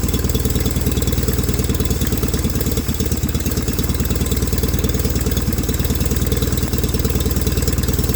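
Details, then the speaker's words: 1989 John Deere 420 garden tractor after fuel pump work, running on its own fuel: steady, even low putter at idle with regular firing pulses, no misses or knocks; now runs and drives. "so so really well we now have a running driving john deere 420 okay guys you saw it runs it drives it's not leaking oil out to rear end anymore"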